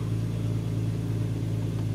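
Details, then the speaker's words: Warmed-up 2004 Infiniti FX35 with hesitation and P0507 idle-too-high code idles with a steady smooth hum, no surging, at about 1200 RPM, before a throttle valve/idle relearn with a scan tool. Idle too high, cause unconfirmed. "as you can see in here our idle is more than 1,000 that's probably 1,200 RPM"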